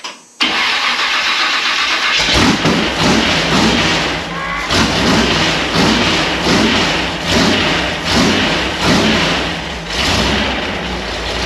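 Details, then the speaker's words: Ford Model A rat rod V8 after TH400 transmission rebuild and install, started after dry cranking until fuel returned: catches and settles into a lumpy, even idle with steady throb, running cleanly as it warms. "Got to let it warm up just a bit."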